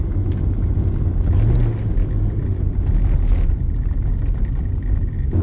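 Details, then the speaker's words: 1980 Porsche 924 four-cylinder at idle with a new water pump and timing belt: low, steady, slightly lumpy rumble with even firing and no knocks. Its heavy moving mass sends vibration through the steering wheel and phone mount. Normal idle for a non-counterbalanced four. "At idle, it definitely transmits that vibration through the wheel, and depending on how bad the vibration in the phone mount is, you may even be able to get some of it there."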